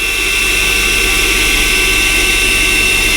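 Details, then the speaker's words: 2008 Mercedes CLK350, 129k miles, previously seized engine, running with no coolant: loud steady whoosh with thin high whine over a smooth, knock-free idle; secondary air pump running at cold start. "There is no coolant in the system, but it runs absolutely perfect. And secondary pump is blowing here."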